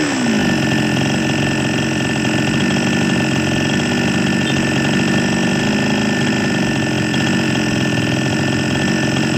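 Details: Small Chinese chainsaw two-stroke after fixing a hard-starting fault: steady high buzz holding even revs without stumbling or surging, running smoothly; air screw adjustment follows.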